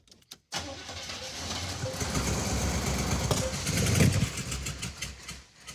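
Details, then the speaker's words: 1971 Chevy Suburban with junkyard big-block Chevy V8, fed a splash of gas into carburetor: catches, runs ragged and uneven a few seconds, then dies; no fuel reaching carburetor, tanks, selector valve and fuel pump unverified. "All right, we're troubleshooting. Why doesn't it want to run? Well, it's pretty apparent it doesn't have fuel going to the carburetor."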